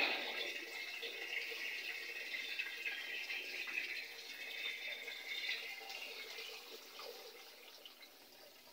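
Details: Panasonic 8 kg top-load automatic washer, after removing a lodged object that had made fill water drain continuously; draining while it senses the water is empty before spin dry. Steady rushing, gurgling water slowly easing off, no straining or rattling; normal draining.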